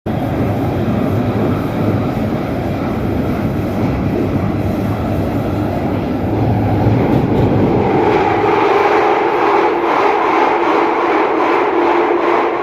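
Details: London Underground Jubilee line train under way: a loud steady roar with rough rail rumble and a rising whine midway. Extremely noisy running; cause unclear.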